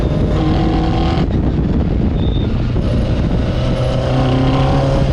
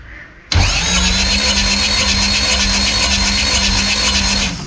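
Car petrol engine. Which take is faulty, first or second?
second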